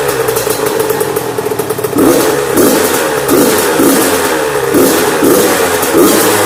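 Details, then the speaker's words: Yamaha YZ85 two-stroke after top-end and water pump rebuild and clearing a mouse nest from the plugged exhaust header. Crisp no-load break-in blips about twice a second, alternating rpm to seat the rings, clean and eager with no misfire: normal revving. "we never want a lot of idle guys always give them some rpm like that not gonna hurt it there's no load on it just don't over-rev it obviously"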